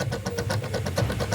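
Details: Usha Smash Plus mixer grinder, 230 V AC, cleaned but not yet disassembled: rapid even knocking about seven or eight per second over motor hum; worn motor bushes letting the armature rattle.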